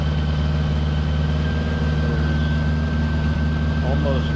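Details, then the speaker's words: 1975 Honda Goldwing, original with 32,000 miles, new Dynatek ignition and coils, warm engine before carb sync. A fast, steady idle hums and never drops, even with the choke fully in. The throttle cable is about to be backed off. "I wonder why it's idling so high I push the choke all the way in"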